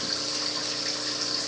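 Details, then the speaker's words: New 220-gallon aquarium, about an hour after first circulating: constant airy hiss and gurgle over pump hum from air sucked through drilled siphon-break holes on return pipes; fix planned by cutting pipes a little lower. "The noise you hear in the background is coming off my return pipes. I never could stand those return lines that have the what do you call it, the siphon break, that drilled hole at the top."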